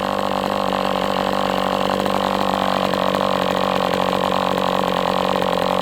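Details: MDS 68 FS Pro four-stroke glow model engine on break-in, heavy exhaust smoke, almost out of fuel and sucking air. High buzzing note with ragged, uneven pulses as it goes lean. Carb had been tampered with, idle screw found nearly flush.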